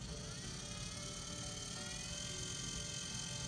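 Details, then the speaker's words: Spin It tumbler spinner with a wine glass tumbler snug on the spindle: steady high, thin gear motor whir at even pitch, no wobble or knocking, spinning smoothly. "same result nice and smooth same noise but spinning really evenly"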